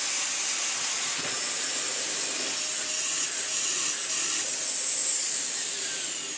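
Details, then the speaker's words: Dyson DC41 vacuum before servicing, run with post-motor filter removed and bin refitted: steady high rushing hiss with a smooth even motor tone, no rattles; suction is alright, only needs cyclone and filter cleaning. "And with the bin fitted back on, you can check that we have alright suction, and we do really."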